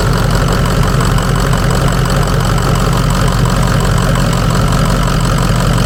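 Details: 2003 Ford Excursion 6.0 Powerstroke diesel first start after sitting 2–3 years: steady, even low idle rumble with no knocks, misses or surges; owner suspects a leaking water pump and a weak alternator (battery light on).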